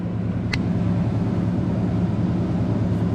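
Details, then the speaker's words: 2003 Ram at 411,189 miles, first drive in almost two months after a PCM swap; check engine light on for a known O2 sensor problem: smooth, steady low engine drone under way with no knocks, misses or surging; sounds normal. "man it sounds normal dude it sounds absolutely normal everything still seems to be working"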